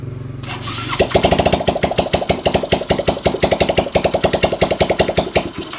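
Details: Carbureted motorcycle (Seon) with former compression loss, valves suspected, after repair, exhaust not yet fitted: turns over and picks up a quick even chuffing rhythm right away, then trails off; starts readily.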